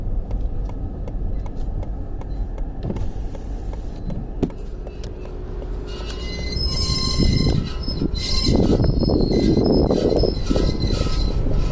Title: screeching sound coming from car